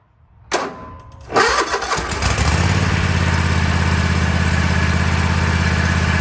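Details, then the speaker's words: Kohler 7000 Series KT735 24 hp on a Toro MX5050 mower, after fuel filter and fuel pump replacement: it catches, then sputters and stumbles with skipped beats about three per second. The misfire was finally cured by replacing no-name spark plugs, not the carburetor. "Just started up the mower and it's still doing the sputtering missing sound, so I'm going to go ahead and replace the carburetor."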